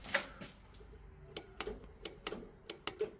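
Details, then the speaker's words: Classic Mini under restoration: with ignition on, the relay now gives sharp dry clicks, about seven in three seconds, often paired, but the starter motor does not turn; clicking is new progress in tracing the fault. "The relay's clicking now. It didn't do that before."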